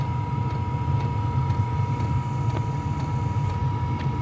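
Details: Cabin diesel heater on lowest setting: soft ticks about twice a second over steady fan hum and low burner rumble, dosing pump clicking slowly, normal on low.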